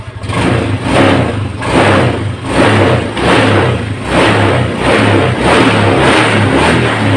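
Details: 2018 Honda Scoopy automatic scooter serviced for weak, sluggish pull: clean, even revs that rise and fall with each throttle twist without stumble or hesitation, showing injection and ignition systems are fine.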